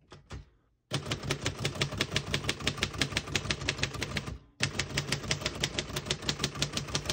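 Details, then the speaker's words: 1948 Royal Arrow portable typewriter typing. Crisp, regular key strikes about three a second, a pause, then more typing and a light margin bell ring marking the end of the margin. Mechanism working normally. "Once you hear the bell, you're at the end of the margin. You hit this line space, gets you back to the beginning, and skips 1 or 2."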